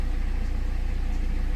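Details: 2008 BMW E60 520d diesel, cold idle right after fitting a new battery, before scanning for limp mode and radiator fan issues: steady, even idle with a low regular pulse, no fan running.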